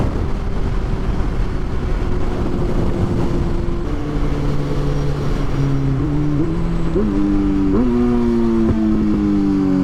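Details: Kawasaki Z1000 motorcycle on its first ride of the season, at highway speed: wind roar, then a clean engine note climbing and stepping through gears, smooth and even; normal running under load.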